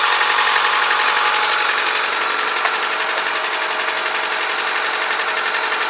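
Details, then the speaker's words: VAZ 124 16-valve engine (2110-12/Priora) after head reassembly with new seals, oil and filter, cold first start: rough choppy beat, check light flashing, one cylinder missing; suspected coil or spark plug, expected to pick up on 4th cylinder. "Чек мигает опять, катушка мозги компасирует, либо свечка. Сейчас поработает, должна на 4 работать."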